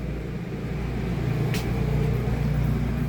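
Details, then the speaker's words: Rooftop air conditioner on a 2014 Keystone Springdale 320 fifth-wheel trailer, just switched on and starting to blow cold; steady low drone with even fan rush, no rattles, squeals or cycling; normal running. "It does take a few minutes for that air to get nice and cold. The hotter it is, the longer it takes."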